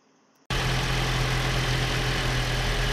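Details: Toyota RAV4, about 2013, after replacing the faulty cylinder 3 injector and a dicey cylinder 4 injector. Steady, even idle with a smooth low hum and no stumble; the misfire is gone.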